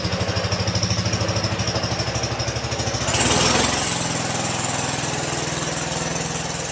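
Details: 1960 Wheel Horse Suburban 400 garden tractor with a Kohler single-cylinder engine, restoration finished except the belt guard and muffler heat shield: even thumping idle rising smoothly when throttled up, running clean.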